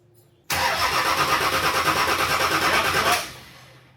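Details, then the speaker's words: Nissan Patrol diesel after fitting a new 270hp injection pump, front-mount intercooler and exhaust manifold, injectors cracked to bleed: steady starter cranking about three beats a second for 2.5 s without catching; air in the fuel system being purged. "So, it's going to be full of air and diesels hate that. And we basically will just crank it over until these leak um diesel, which means it's purged the air out."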